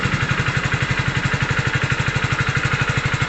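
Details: Hero Splendor Deluxe BS6 single-cylinder, started during a wiring and fuse test: a steady, even putter of about four beats a second with no misses. Normal, healthy idle.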